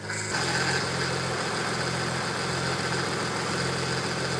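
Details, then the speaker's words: Audi B5 S4 at idle after replacing the whining aftermarket power steering pump with a known good OEM unit: faint steady high whine, significantly quieter than before, likely air still bleeding out of the system; power steering whine. "has gotten significantly quieter um again I think it's just going to take a little bit more time and I bet that noise goes away completely"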